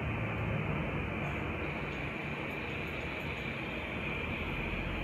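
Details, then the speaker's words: New CNC Q2 short rotary tattoo pen, first run on a wireless power supply at 7.5 V, no needle fitted: soft, steady, very quiet whir with no knocks or rattles. Normal running. "Napakatahimik. Hindi siya stressful, di ba? Smooth. Napaka-smooth guys."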